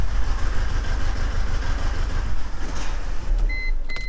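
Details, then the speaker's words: Car sat about 24 hours, check engine light on, cause unknown; in drive it chugs with a lumpy, regular stumble about five times a second shaking through the idle, a single cylinder misfiring. "so keep in mind we actually drove at home putt-puttering like that like nearly an hour that was bad what we have right now is a car that's running terrible a check engine light and no idea what's wrong"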